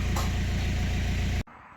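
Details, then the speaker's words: BMW 1 Series 118d/120d with a 2.0-litre N47 diesel, red oil pressure light on and no brake pedal: heavy idle with a hard, regular knock on every turn, then shut off; engine knock from loss of oil pressure. "This one has a 2-liter diesel engine with a very bad knocking sound, no brake pedal, and oil pressure light."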